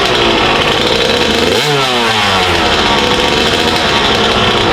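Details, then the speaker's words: Freshly built Kawasaki KX 85 two-stroke after first start and break-in, on 32:1 premix: crisp, high ring-ding that blips up and drops back cleanly and responsively; healthy two-stroke running. "Alright, I'm gonna go get my gear on. Me as well. Time to ride. That sounds sweet. Yeah, it does. Sounds good."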